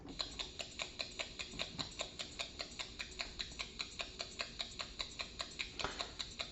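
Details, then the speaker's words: 1970s Heuer Master Time dash-mounted 8-day clock, initial diagnosis on timing machine, pendant-up position: sharp ticks about 2.5 per second in an uneven, galloping beat; erratic signal, clock running poorly, no timing results. "can you hear that the watch almost sounds like it's galloping this watch isn't running well"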